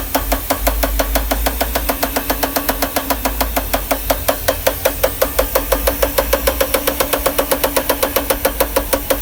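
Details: 1992 Mercedes R129 500SL M119 V8 idle: sharp, even metallic knocks about five a second. The chain slaps on a broken top-left cylinder-head timing chain guide rail, snapped at the bottom. It began after revving to clear a damp-distributor-cap misfire after standing.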